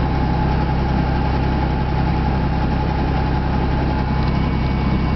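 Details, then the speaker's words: 1999 Ford F150 XL, cold start at idle: steady low rumble with a faint quick tick about ninety a minute over it; exhaust leak ticking. "There She Goes she's running hear that noise that's an exhaust leak"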